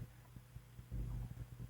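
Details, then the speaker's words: 1924 Westinghouse 321347 16-inch antique fan, recently restored, on variac at about 56 V drawing 15 W: low hum with slow, soft throbbing pulses instead of a steady whir; bad oiler assembly pressing on the armature caused poor lubrication and dragging. "restored and then it started running really really slow which of course is not good so we need to find out why it's running really really slow"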